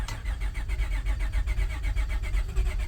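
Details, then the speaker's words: Honda Odyssey with 208k miles, started on a jump pack: deep, even pulses catch and settle into a steady low idle with no knocks or misses; starts and runs fine. "almost full tank of fuel oh yeah sounds good that's a Honda for you"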